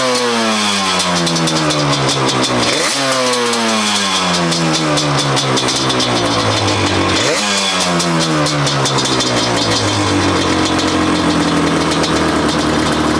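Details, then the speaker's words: 2005 Yamaha Banshee SE two-stroke quad after TORS delete, new drain plug screws and richer 27.5 idle jets: crisp revs climbing and falling cleanly, quick pickup, no stumble or misfire; runs much better, carbs may still need fine tuning; normal running. "It seems to be running much better with that slightly richer idle jet in the carburetors."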